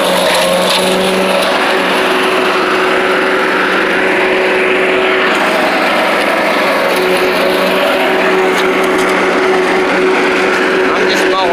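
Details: Old Rover Turbothrust mower built in Brisbane, Australia, no battery fitted, cutting grass into the bagger: a steady, even drone holding its pitch, no hunting or misses. Normal running under load; owner thinks the blade brake shoe may need replacing.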